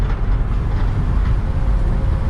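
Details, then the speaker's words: 2004 Mercedes Sprinter diesel van on a test drive after codes were cleared, accelerating: deep, even rumble under load with no knocks, whine or hesitation. It pulls well, slightly less than usual, which is judged normal van-to-van variation. "So start it up, no codes. Okay, let's test the acceleration. Accelerates good."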